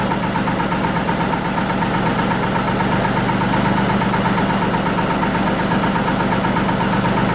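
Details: 1940 Lister JP3 single-phase 230 V diesel genset test run after water pump rebuild (slight weep at top radiator hose clamp): even, steady thrum with no knocks or misses, beat unchanging; normal running.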